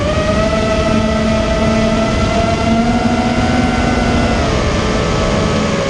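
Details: Immersion Vortex 250 Pro quadcopter motors on test run after fixing bad bearing sounds, which the owner thinks are fixed; one motor slightly warm afterward: steady smooth whine at one pitch, slight drift, no gritty rumble or rattle. Normal running.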